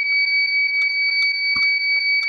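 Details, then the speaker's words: Visatec Logos 1600 studio monoblock flash at highest power, bulb still good: it won't fire and only repeats steady high-pitched warning beeps with faint clicks, showing error A2; suspected causes include unstable mains, age, rapid shooting, high power, dirt shorting circuitry. "Ya, dia nggak mau nembak tuh teman-teman ya, hanya bunyi-bunyi. Bunyi-bunyi aja."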